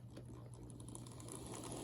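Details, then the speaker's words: Model Power E8 model locomotive after fitting a red Kadee washer to stop a loose, shifting flywheel rattling: small motor whirs softly at steady pitch with only light gear patter and no rattle, running much quieter. "look at that it's a lot better now go forward oh yeah there we go so that's how to make your model power E8 quieter"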